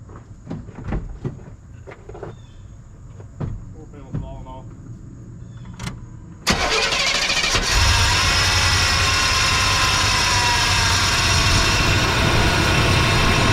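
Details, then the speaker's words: Old Chevy OBS Blazer Z71 start-up after fitting a new belt (tensioner possibly worn): a few clanks, then idle with loud harsh scraping hiss from the AC compressor pulley, rusted between compressor and pulley; noise eases the longer it runs. "I noticed the pulley on the AC compressor, it's still got it's got rust between here and the pulley itself. So, it's it's kind of noisy, but the more it runs, the better it gets."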